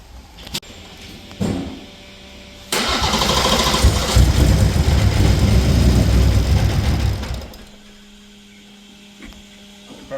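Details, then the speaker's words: B58-swapped BMW E24 after plug cleaning, still misfiring and plugs fouled again; about five seconds of steady cranking that never catches, heavily over-fueling: cranks but won't start (flooded engine). "won't start now. It's over fueling like crazy."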